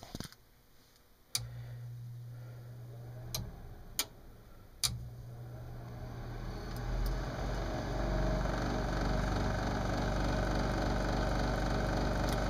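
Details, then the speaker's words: Lennox mid-efficiency furnace: clicks, then hum and rising rushing roar as the inducer fan spins up, very loud; inducer motor bearings probably shot. "okay this is a lennox custom heat mid efficient furnace the inducer fan is making a whole lot of noise turn it on"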